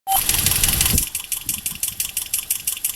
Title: Ticking noise that was coming from my 2010 Toyota Corolla LE Automatic engine